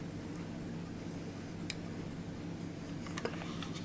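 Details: Old electric clock movement, believed continental European, with brass wheels, taken out of a homemade case: soft, steady low hum with faint occasional ticks, no grinding or rasp; the movement is running smoothly.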